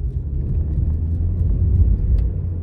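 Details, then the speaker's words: 2011 Chevy Cruze 1.8L after a spark plug tune-up, road test under throttle: deep, even engine rumble pulling cleanly with no stumble or misfire; transmission didn't lag on the shift as it normally does; normal acceleration. "oh yeah I can definitely tell a big uh big difference let's try this hail right here oh okay didn't hold didn't lag on the shift there like it normally does"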